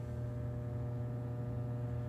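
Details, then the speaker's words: Plate transformer, live, 230–250 V taps, recorded on a phone: steady low buzzing hum of constant pitch as the transformer is energized; loose core lets the laminations buzz. Transformer hum from a loose core. "it's a humming so just listen for a second this Transformers in a state of flux"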